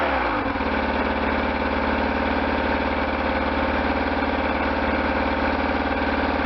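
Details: Restored 1998 BMW R1100RT boxer twin, first run after restoration, throttle bodies not yet tuned: engine catches within half a second, then settles into a steady, even idle with no knocks or misses.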